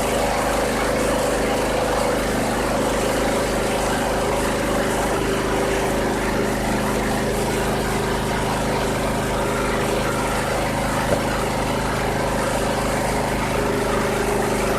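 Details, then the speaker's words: 2001 Cub Cadet 3184 tractor, 848 hours, previously running rough, after oil change, spark plug service and clearing a blocked air box; starts instantly and idles with a steady, even low drone, no misses or knocks: normal idle. "Oh yeah, I can already tell, 100% difference. That started up instantly, gotta like that."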